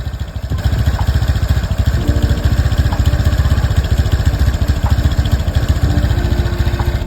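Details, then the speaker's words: Honda Beat scooter after an engine rebuild following oil starvation, first start: air screw already adjusted, yet it still idles unevenly with a limping, stumbling beat and struggles to hold idle. "Ini adalah suara motor yang sudah disesuaikan setelan anginnya. Namun tetap terdengar pincang."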